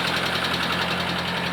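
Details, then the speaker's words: 1983 Nissan Skyline RS Turbo DR30 4-door, low mileage, original F20 turbo engine, auction sheet noted engine noise: steady idle with light quick ticking from the head; owner suspects a valve touching, not confirmed. "Sounds like a valve is touching. And so when we bought this car, it was mentioned on the auction sheet that there is sounds coming from the engine, and so that was no surprise."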